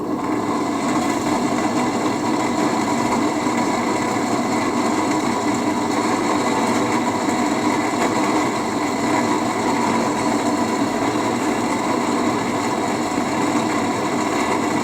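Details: HP 8901B modulation analyzer's original cooling fan, before replacement, measured with an RTA: loud constant whirring rush with a few steady tones and no speed change; a worn, noisy cooling fan.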